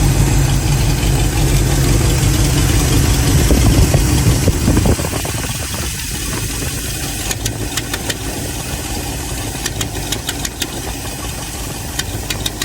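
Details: Chevy 350 V8 running rough and loud with a rapid ticking puff from an exhaust leak.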